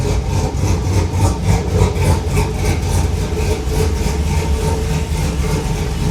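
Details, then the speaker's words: 1950 Chevy cabover, LS-swapped V8, first start after VATS anti-theft delete: deep lopey idle with steady choppy beat of three to four pulses a second, healthy big-cam engine; oil gauge maxed at 130.8 PSI, sensor suspected bad. "That thing fired up right now. Damn, she sounds good."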